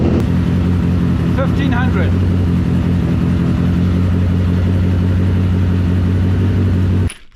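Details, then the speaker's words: BMW K100 four-cylinder cafe racer build, retry: fires and runs at a steady, slightly uneven idle for several seconds, then abruptly dies; stalls after brief run, owner suspects the fuel mixture. "Of course, after I turned it off and I tried one more time, it actually fired to life properly, but not for very long before it died. So I'm assuming this is my mixture."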